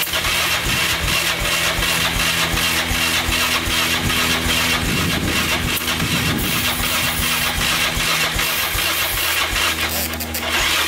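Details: 2002 Yamaha Raptor 660 after timing chain and bent valve replacement, choked: sluggish starter chugging under three turns a second, no catch.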